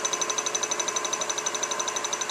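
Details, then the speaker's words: 1995 Suzuki Sidekick old alternator spun on a bench rig, not hooked to IG terminal, making about 10.5 volts: fast even high-pitched metallic pulsing whirr; owner notes some kind of noise, source unclear. "It's still going pretty quick though. And I'm cranking out about 10.5 volts here. But it's going faster. It's also making some kind of noise."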